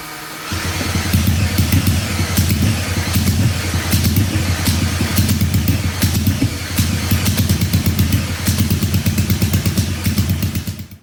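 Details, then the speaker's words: 1968 Honda CL175 with supercharged EFI on E85: lumpy, uneven beat with a deep exhaust thump, firing on one cylinder; right-side exhaust stone cold and plug dry with good spark. "All right, so we were able to get it to fire on one cylinder, which I guess is something, but the right-hand cylinder exhaust is stone cold, so we're not getting anything on the right-hand side."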